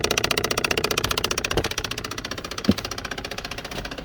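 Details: 2015-2025 Ram ProMaster 1500/2500, engine running, no air from driver AC vents: fast, even clicking about two or three a second from the dash, a plastic gear skipping; failed mode (air direction) blend door actuator, one of three.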